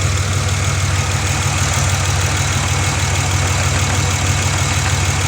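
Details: Pontiac Grand Prix at idle with rough, lumpy uneven thump about twice a second; misfire from one cylinder, injector circuit code, power feed good but no injector command signal, still misfiring after previous shop work.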